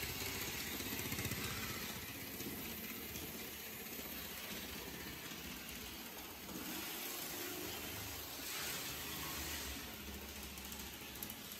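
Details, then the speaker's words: HST model train after repair restored contact to the engine's connection pin, on track: small motor whirs steadily with even rhythmic wheel ticking, slightly bumpy but the earlier squeaking is gone; now also runs in reverse; normal running. "put it on the track and let's see how things go it sounds a bit bumpy but these squeaking noise is gone"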